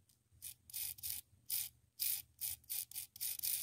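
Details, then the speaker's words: 1989 Rainbow D4C vacuum canister motor, fan removed, top bearing spun by hand: repeated short gritty rasping bursts about three per second, rough spin; worn motor bearing, unit ran poorly. "yeah shouldn't sound like that or spin like that"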